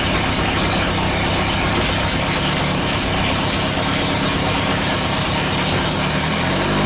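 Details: Air-cooled VW after transmission work: loud, even rattle and gear whir; shifts through all four forward gears and reverse with no crunch or grind.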